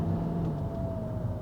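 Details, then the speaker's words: 2011 BMW X1 E84 xDrive, N47 diesel, 140k miles, automatic, fairly cold, climbing a hill at about 2000 rpm: steady low drone, revs ease down cleanly through upshift, no clunk or flare; normal shift. Suspected transfer case or torque converter issue elsewhere. "and that seems smooth, so it seems to be doing its job for now."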